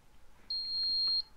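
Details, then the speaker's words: Emax NightHawk Pro 280 racing quad on a three-cell battery, low-voltage alarm test with warning level raised to about 4 V per cell: beeper sounds shrill, repeated short beeps. "now you can hear it going off so you can just hear it repeating beeping over and"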